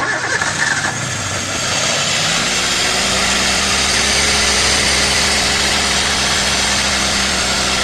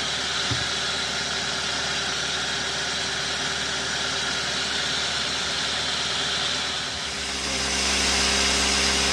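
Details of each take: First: 2012 Toyota Avanza that overheated and stalled on the highway due to poor cooling: after rotating by hand freely, short crank, engine catches and holds steady idle under heavy hiss; no clear knock, overheat damage unconfirmed. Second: 2012 Toyota Avanza that overheated and stalled on the highway from poor cooling, after engine teardown, reassembly and radiator refill: smooth, even idle with a steady hiss on top, no stumbling or surging; sounds healthy.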